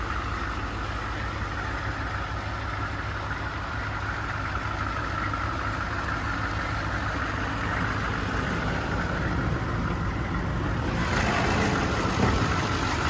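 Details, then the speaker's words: 1991 V3500 dually diesel, lifelong Michigan truck with low miles: even steady diesel clatter at smooth idle, no misses, knocks or hunting; healthy settled idle. "And just listen to that diesel purr."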